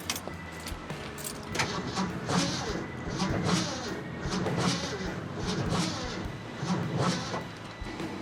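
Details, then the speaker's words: 1972 Ford F250 4x4 Highboy sitting over 15 years, cranking on its battery with a charger at about 130 cranking amps: slow, heavy, uneven laboured turnover about once a second, not catching; owner suspects a weak starter. "But, uh, it kind of sounds like the starter is not very good."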